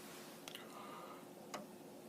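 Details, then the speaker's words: Commodore Amiga 1000 tested without a monitor: after Workbench loads and the disk is removed, the empty floppy drive clicks sharply about once a second polling for a disk, normal behaviour indicating a working drive. "Anyway, once Workbench has done its thing, and you take it out, right now, we would see on the screen the desktop, and once the disk is taken out, you can then hear the drive is clicking, looking for a disk."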